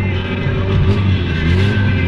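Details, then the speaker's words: 1983 VW Golf/Rabbit being towed, running with no exhaust and on used engine oil mixed with brake fluid, coolant and power-steering oil, nearly out of fuel: very loud, raw, rough, uneven roar; the engine sounds beastly and they think it is dead. "Boah! Hör auf, Alter, das hört sich absolut bestialisch an. Okay, jetzt ist er tot. Er ist hin."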